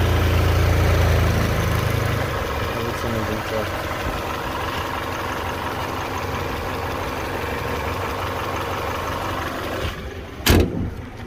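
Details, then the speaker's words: 2005 Toyota Corolla 1ZZ engine after replacing the stuck timing chain tensioner and chain guards to fix rattling: smooth, even idle with no rattle or tapping, normal. "So vehicle is working, no sound."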